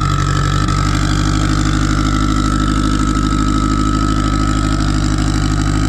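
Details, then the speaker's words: Freshly started turbo car on E98, rich on the low end, kept under 4 psi. Loud, uneven idle with a lumpy, unsettled beat; running rough on a tune for a 6466 turbo with 1.05 housing while a Precision 7675 is fitted. "Got the car all started, and as you can hear now, and as you can probably hear before, she's not very happy. Reason being is the tune set up for the 105 housing on a 6466 turbo, which is the last one that I made my pass on."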